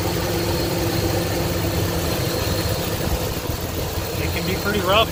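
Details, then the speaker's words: 2003 Chevrolet Tahoe 5.3 LS V8, first start after replacing valley pan gasket, knock sensors and intake manifold gaskets, fuel rail primed first: started right up into a steady, even idle, smooth low hum, no knocks or ticks; healthy. "it started right up"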